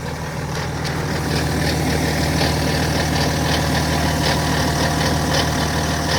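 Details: BMW GT 530d N57 diesel at idle with a light metallic rattle about three beats a second over the clatter; owner suspects a loose timing chain, not confirmed.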